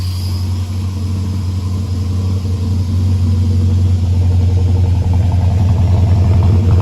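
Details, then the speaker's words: Holden VR Clubsport 304 V8, dormant for years after a heavy front impact: running just after its first start, following an oil pump clean and Vaseline pack. A deep, even burble builds slightly in revs with no knocks or misses. Normal running. "there it is the first woman who knows how long the thing started and it sounds okay"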